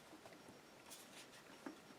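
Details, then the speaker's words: Apple MacBook Pro trackpad after removing a swollen battery that pressed on it: light crisp clean clicks, working normally again. "clicking where it's supposed to so that's what was the problem it was the battery"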